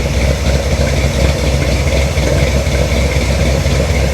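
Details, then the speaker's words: 1973 Chevrolet C10 Cheyenne Super 10, big block V8 with EFI, idling as exhaust warms: deep idle with a dull knock about four times a second from the bottom end; owner suspects rod knock, unconfirmed. "I hear that noise again. Deep down, I don't want to believe it's a rod, but deep down I feel like I'm hearing rod noise. That's very unfortunate if that's the case."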